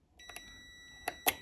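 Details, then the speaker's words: Electric shower thermal cut-out (TCO) from atop the heater, checked with a multimeter in continuity mode across its two terminals; a steady high-pitched beep holds over a second between probe clicks, showing continuity, so the TCO is good. "So we're getting a buzz. So this one's a good one. If it's making no noise, I'd know there's not continuity through it, so your heater will not get hot. This one is a working thermal cutout."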